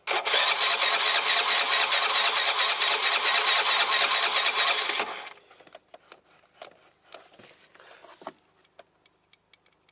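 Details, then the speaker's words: 2007 Piaggio MP3 scooter, fuel pump confirmed working: the starter churns quickly and evenly for about five seconds without catching. Fuel isn't reaching the carburettor, probably from a blockage in the fuel pipe. "so we'll take the CB away cu the fuel's not getting into the car body which is probably a blockage in this pipe or something"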